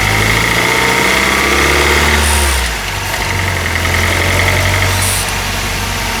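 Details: Honda R20A3 engine, cold idle, mic in engine bay: light regular knock about four per second over engine note; suspected piston slap, louder in cold weather, disappears after a few minutes of warming.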